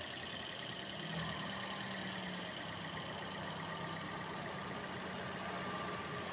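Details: Toyota Vios idling with the air conditioning running; steady, even idle with no stumbles or misses, engine sounds fine.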